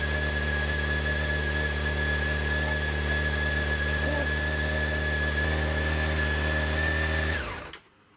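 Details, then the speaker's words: 2006 Honda CBR600 after fuel pump replacement, first start after the pump primes: a smooth, even idle hum with a faint steady high whine, holding rpm for seven seconds before a clean shutdown; healthy. "give it a go keep everything crossed hasn't gone bang hasn't made any stupid noises and it's ticking over mark"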